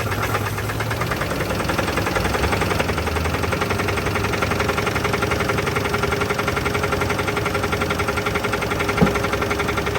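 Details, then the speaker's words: 1983 GMC S15 Jimmy 2.8L, unrun 15+ years with passenger valve cover left off, first start on old gas, no added fuel: steady knock about three to four a second at idle following engine speed, starting to spit; a rod knock is suspected. "got a little something trying guys it's starting to spit I don't know if it's the PB or not but I think that's a definite Rod off"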